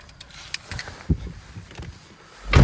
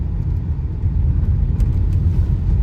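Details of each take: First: Renault Megane 2, parked, steering wheel turned left and right: irregular low creaks and dull groans from the front suspension, also when pulling away. Owner suspects subframe locating pins; cause not confirmed. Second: Renault Megane 2 driving on badly broken road in Mykolaiv region after new suspension arms; steady low road rumble, no knocks or clatter from suspension.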